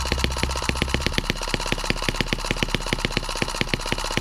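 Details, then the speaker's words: New M17B small engine on first bench run: sharp rapid firing pops, about ten a second, with slightly irregular spacing and strength; runs not very evenly but not badly, and reluctant to idle down. "it doesn't run that evenly but it doesn't run that bad either"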